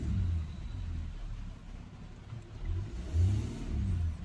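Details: Jaguar XF with oil leak and misfire complaint, P0301 cylinder 1 code pending: engine rises and falls smoothly through throttle blips with no stumble, no cluster warning lights, before repair.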